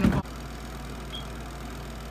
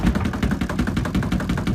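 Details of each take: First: SUPER DEAL compact mini twin-tub washer, spin cycle with one towel, moved back to the floor: brief thump then steady even low hum, no knocking or scraping, spin dying down; normal spin, towel comes out only slightly damp. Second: SUPER DEAL compact mini twin-tub washer, spin side turned to 5 with one towel, sitting on a counter edge: fast uneven rattling thumps as the cabinet shakes and has to be held; vibration from unsteady footing, not a fault, dying down after minutes.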